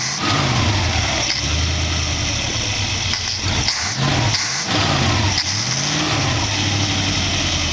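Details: Dual-quad carbureted V8 in a 1914 vehicle build, after the carb's possibly plugged passages were cleaned because it had been puking fuel. It settles into a steady, even lope after throttle blips, with no misses or knocks. Air screws now respond and it is not pouring fuel. Normal idle.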